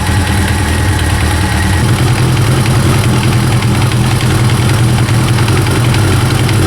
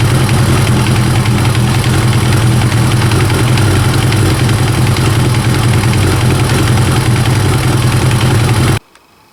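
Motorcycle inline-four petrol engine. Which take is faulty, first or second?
second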